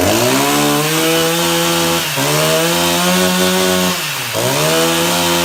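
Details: Husqvarna 353 chainsaw after gas line and chain drive work. A high, clean two-stroke snarl holds steady, dipping briefly twice and picking straight back up: running fine.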